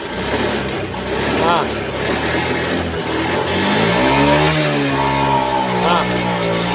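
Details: Honda Scoopy scooter, hard to start, just fitted with a new battery: starts but sputters and stumbles, revs rise weakly then sag and won't take throttle; a weak fuel pump reads below the expected 40 pressure, causing fuel starvation.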